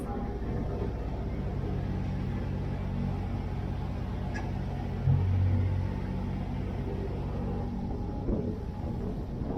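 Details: Sailing yacht Zora's newly installed diesel engine on first sea trial after relaunch: steady low rumble at constant revs under water and wind noise, no knocks or misses; engine running well.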